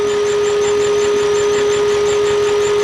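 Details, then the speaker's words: Turbo V8 Mercedes CLK, restarted after six months sitting and smoking from the breather: steady fairly high-pitched buzz over the engine, identified as the fuel pressure regulator. "that noise is weirdly the fuel pressure regulator"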